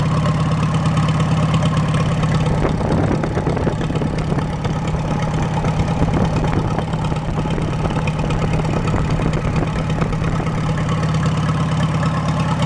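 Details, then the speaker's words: Farmall A with a freshly rebuilt engine on its first start, no radiator or cooling, warming up before valve adjustment. A low, even idle with good oil pressure and no knocks or rattles: normal. "so I'm going to let that run for about 5 minutes or so it's got no Cooling in it right now no radiator I'll let it warm up I want to adjust those valves and then uh you finish butting up the nose on the thing sounds good though good oil pressure"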